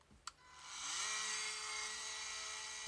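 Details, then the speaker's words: Makita multi-tool after fault-finding and repair, reassembled and test run: even, high buzzing drone at steady speed, noisy and vibrating as expected, no rattles or grinding; running normally. "all good. We're noisy as expected and that does vibrate."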